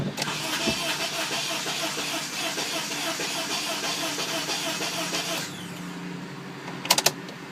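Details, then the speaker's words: Honda Element AWD EX after a starter replacement: fast, even cranking for about five seconds but it never fires. Crank no start; the owner suspects a component left unplugged. "that's further than we were although it doesn't run"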